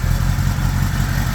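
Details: 1975 Honda GL1000 Gold Wing flat-four after water pump re-seal (earlier coolant leak from weep hole): steady, even low rumble at idle, a bit high with choke on, no misses or knocks; no leaking, much less smoke.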